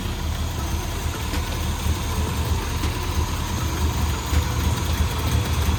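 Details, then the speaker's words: Suzuki Samurai with swapped 1.6L 16V engine after new head and head gasket; deep steady low idle, even pulse, no knocks or misses, timing not quite right and it later died; normal idle. "It's running pretty good. Hey, Kyle. That sounds gnarly."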